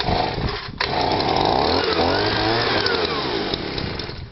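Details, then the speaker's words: Stihl SH/BG 85 two-stroke leaf blower, cold start, choke then off, was pumping petrol out of exhaust: drones and hunts, pitch sagging instead of climbing to full revs; running rich, won't rev, replacement part ordered. "At the time, it would only rev, well, it wouldn't even rev up once we did get it started."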